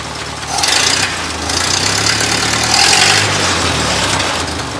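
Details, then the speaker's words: Rebuilt 1932 Ford Model B four-cylinder after new points, retiming and float adjustment: soft even low exhaust beat, no knocks or misses, smooth quiet idle; normal. "the venerable for cylinder yeah with that wonderful exhaust Rhythm that Henry was so famous for"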